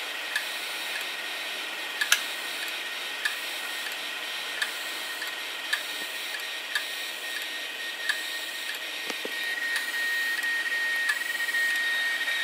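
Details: Failed hard drive, one of several that failed over three years: sharp irregular ticks roughly twice a second over a thin high hiss from the drive mechanism, a failing drive clicking.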